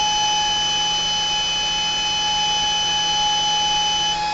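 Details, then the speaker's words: Autonomous fan controller with alarm, Sanyo Denki 48 V 10,000 rpm 60x38 mm fan, component heated past the 55 °C threshold: continuous high-pitched buzzer over fan rush accelerating to high speed; over-temperature alarm working. "rheat it to where it gets up to that that 55 degree marker Celsius to show you exactly what it sounds like when the actual buzzer goes off"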